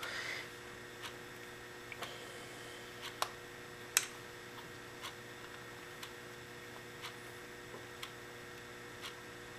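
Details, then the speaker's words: Two SPDT automotive relays with coils fed 12 V and triggered to ground through momentary switches: single sharp, crisp clicks about a second apart as each coil pulls in, over a quiet room, so the relays are clicking normally. "So now I should actually be able to operate each of the relays by pressing the switches, which I can."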